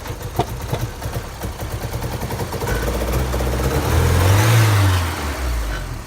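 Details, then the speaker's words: 1988 Porsche 944 with new fuel pressure regulator and DME temperature sensor: rough idle, then quick throttle blip with muffled pop; seems to backfire into intake manifold, fine when accelerated slowly; owner suspects air flow meter or throttle position sensor. "sounded like it almost backfired into the manifold so basically still at that same step where at least the car starting"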